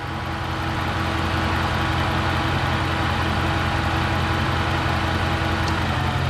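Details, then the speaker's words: 2009 Dodge Ram (4th gen) idling with A/C on, loud electric cooling fan runs about 30 seconds then relay clicks and fan shuts off; A/C lines hot, refrigerant checked, high-pressure switch suspected, not confirmed. "you hear that click and then the fan shuts off"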